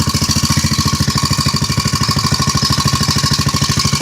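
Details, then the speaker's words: Antique David Bradley cultivator single-cylinder engine, possibly first run in 5-8 years, running on an oily fuel mix: steady, even putt about three beats a second with rattly exhaust from a loose-gutted muffler; running normally. "All things considered, the old dude sounds pretty"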